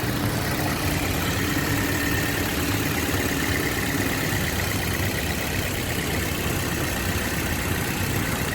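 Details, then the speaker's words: 2007 Toyota Yaris petrol engine idling with the AC on, customer reports jerking and hunting: slightly uneven, stumbling beat, a mild misfire later traced to a faulty ignition coil. "मैं अभी गाड़ी hunting हो रही miss पर हो रही"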